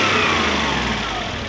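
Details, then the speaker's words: Toyota 1UZ-FE V8 (Surf/4Runner conversion) after repair: clean start flare, revs up then settles into a steady even idle on all cylinders, no stumble or misfire; normal idle. "It's got a nice flare. So it flares properly when you start it. Revs up. That's how it should do."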